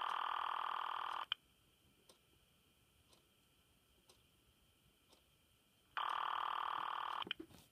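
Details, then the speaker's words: A C*NET call placed from a home PBX through a PAP2T ATA. A buzzy ring burst of about one second, then roughly five seconds of quiet before it repeats. This is a normal ringing signal generated electromechanically in Oregon. "so right now you're listening to rune signal that's being electromechanical generated in Oregon actually"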